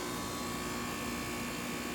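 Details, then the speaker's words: Trane heat pump after clogged coil diagnosis, system replaced with a 14 SEER unit, lines solvent-flushed and new dryer fitted: even, steady hum with faint constant buzz and airflow hiss, no rattles or squeals; running fine, house cooling. "So, looks good, sounds good. The house is nice and cool."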